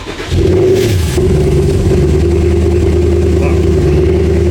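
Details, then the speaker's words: Abandoned, wrecked Porsche Cayenne GTS project, first start: very loud, deep, uneven drone at idle, rough and lumpy; owner suspects heavy misfiring, cause not confirmed. "That didn't sound that good in the end. I turned it off, so it didn't die. But still, it felt like a lot of misfiring."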